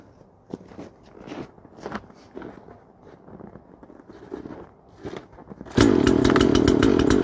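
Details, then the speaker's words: Chainsaw (Makita EA5600F large felling saw, per preceding mention) at full throttle: sudden scream with rough, pulsing buzz, not revving cleanly at high rpm; owner thinks it runs slightly rich at the top and the mixture screw could be turned leaner. "Pikkasen saisi varmaan seosruuvia kääntää tiukemmalle. Vähän tuntuisi ylärekisterissä olevan rikkaalla, kun ei ihan puhtaasti kierrä ylös."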